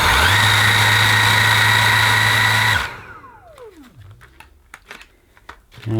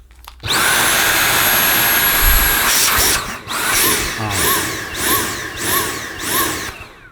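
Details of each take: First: Dyson V8 Absolute cordless vacuum, new, running on max power: steady high-pitched motor whine, smooth and even, then switched off and winding down; normal running at max. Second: Dyson V8 Absolute cordless vacuum with suction deliberately blocked: high motor whine rising and falling in even pulses, the built-in warning for blockage in nozzle, tube or cleaner, or a dirty filter.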